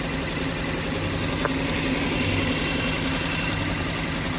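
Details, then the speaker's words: BMW 118i 1.5 Sport (65 plate) at idle with permanent misfire: uneven running with irregular low thump and metallic rattle, flashing engine management light, gear stick flopping and excessive engine vibration. "You can hear, here's the registration, you can hear it's running rough."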